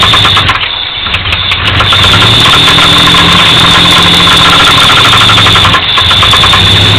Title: 1985 Firebird [engine knock]